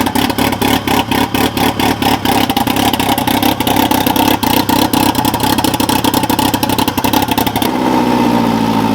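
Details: Fully built turbo Integra at first start after engine install, fuel system primed, no leaks: engine catches and settles into a steady, even idle with a light regular valvetrain tick; sounds healthy.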